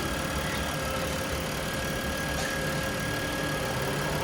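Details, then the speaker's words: 2010 Dodge Journey SXT V6 idling with AC, fan and heat on: a thin steady whine over a smooth idle as the failing alternator stops charging, battery light on and voltage low, alternator to be replaced. "It's just it battery light came on, and this is the reason. So, we're going to change out the alternator. You guys heard the whining in the beginning."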